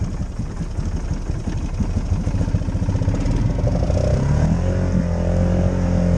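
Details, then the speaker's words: Polaris Sportsman 570 ATV on 31-inch Outlaw tyres, owned two days, wading deep swamp: revs climb to a higher steady drone while barely pulling; water-soaked CVT belt slipping, power steering and check engine lights on. "Belt drives suck. I got a power steering light, I got a check engine light. Quite a lot of water in the belt that time, I tell you what."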